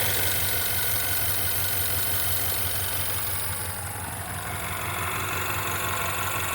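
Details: 2016 Ford Mustang 2.3L EcoBoost, replacement engine installed elsewhere, 128,572 miles, flashing check-engine light: idle pulses unevenly about three times a second over steady drone, engine stumbling and shaking; misfire.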